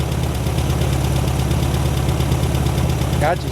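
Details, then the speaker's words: 1972 VW Super Beetle, first run, still smoking, owner believes it is running on carburetor fuel with the gauge reading empty: even, low burbling air-cooled flat-four idle holding steady without stumbles or knocks; normal idle. "she's been running a long if she time hurries up and dies here she's still smoking that's running on the what's in the carburetor i believe"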